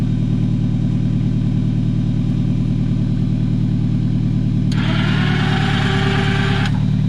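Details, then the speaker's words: 1999 Toyota RAV4 AWD used for plowing snow, battery not good: steady even idle with smooth low rumble, no misses or stumbles; owner says no miss and it burns no oil, engine running properly. "it not a miss there's no miss in this engine again another steady engine no movement doesn't burn any oil"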